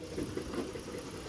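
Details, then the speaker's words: Dodge minivan/Journey (possibly 2012), at idle under the hood: a dull, uneven knock about five times a second under the engine drone. It comes from a cracked flywheel/flexplate, not bottom-end rod knock. "guys, that will fool you. That is not bottom end rod knock or anything like that, guys."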